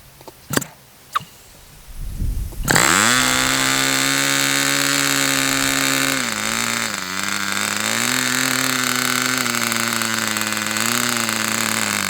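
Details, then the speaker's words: Fox Twin glow engine, customer's, started with glow igniter: one stone-cold cylinder keeps cutting out while the other runs fine, high buzz sagging every few seconds; high-speed needle leaned and igniter reapplied. "Um, yes, I was seeing it running. Both cylinders were running. This one was was uh shutting out initially, but I've got this high-speed needle pretty closed on this."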